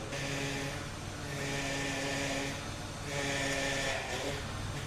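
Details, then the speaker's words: VW Touareg after rebuild, engine running, wheels turned lock to lock with power steering fluid low and air in the system. A wavering whine swells and fades as the wheels turn; pump straining. Suspected air or low fluid, possibly the serpentine belt tensioner, not confirmed. "so yeah as you can see the uh as you can hear the power steering pump is struggling it's making all kinds of noises"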